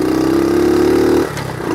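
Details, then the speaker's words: 1970 Honda CT70 Trail 70 ridden around the yard, shifting first to second with automatic clutch; steady drone dips briefly at each gear change then picks up cleanly, normal running through shifts. "it's got the automatic clutch see all you have to do is shift it and it disengages the clutch"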